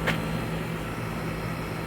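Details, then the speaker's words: 1998 4-ton 10 SEER R-22 condenser in a manufactured home, new dual-run capacitor, coil not yet cleaned; superheat falling from 42 to 27°, target about 20; steady hum and fan whoosh; normal operation. "All right, so we're letting it run. I haven't cleaned out that coil yet, but the temperature of that coil's dropping."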